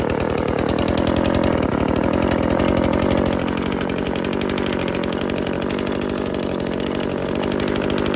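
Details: Old Stihl FS36 two-stroke string trimmer tested outdoors: steady high-pitched buzz, even and clean. Works okay, though its on-off switch is faulty, so it is shut off with the choke.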